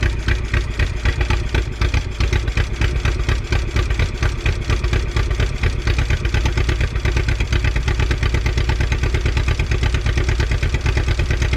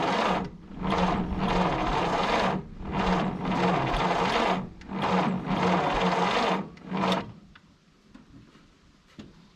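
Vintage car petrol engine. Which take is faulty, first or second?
second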